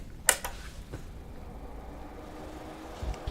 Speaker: you can immediately hear that it's a bit noisy you can hear the relays clicking when it powers up and you can also hear the fan